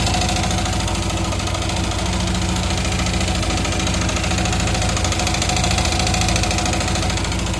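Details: Yamaha R15 engine after an engine overhaul, at idle: light fast ticking about three ticks a second riding over a steady idle; top-end tick, source unknown, owner asking which part, engine ticking noise.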